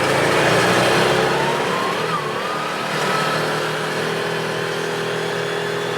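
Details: 2017 Odes side-by-side accelerating on the road after the fix: the engine pulls steadily through the revs with no surging, stumbling or spitting, because the gear position sensor no longer jumps to neutral or reverse and upsets the fuel enable.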